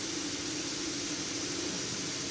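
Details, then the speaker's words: Coal-fired steam box for bending stagecoach panels, pressurizing: constant soft airy hiss, steady pitch and level, as steam leaks past the seal intentionally to keep steam wetter; normal seal hiss. "I think you can hear the hissing sound because it is leaking a little bit."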